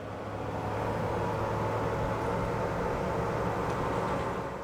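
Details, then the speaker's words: Tesla Model Y Performance AC compressor/heat pump, mic near the front where owner hears buzzing/grinding: steady low hum with even buzz, judged pretty normal; gets louder on first startup, sometimes felt in feet or steering wheel. Normal compressor buzz; a plugged radiator was suggested as possible cause. "So far, that sounds pretty pretty normal. It does get louder than this. Like, especially on first startup, it's it's the same noise just with more intensity."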